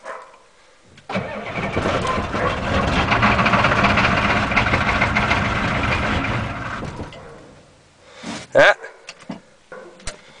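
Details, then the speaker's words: 1987 Ford F-250 6.9L IDI diesel, 5-speed 4x4, cold start at about 29°F after sitting five months on untreated #2 diesel, glow plugs cycled twice: starter cranks about six seconds, never fires; crank no start, gelled fuel suspected. "no it might even have gelled fuel we'll just"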